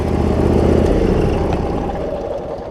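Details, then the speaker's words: Cub Cadet zero-turn mower with Briggs V-twin, previously running rich with wiring, charging and governor issues, after repair; strong even drone easing off smoothly, no misses, knocks or surging; runs fine, seat safety switch works; normal running. "y'all can hear that it's running it's doing a little dance now but the good news is it looks like i got it"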